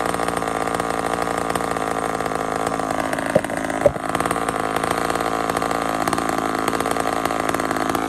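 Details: Homelite chainsaw, 28 full-house stock chain, cutting wood: high steady two-stroke wail with short dips as the chain loads up, picking straight back up; normal healthy cutting.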